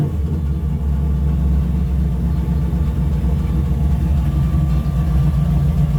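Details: After a further mod to the primary carburettor circuit ended months of trouble, the carb-fed turbo engine gives a deep, steady rumble at even revs without stumbles or hesitation; throttle response improved, and it revs freely.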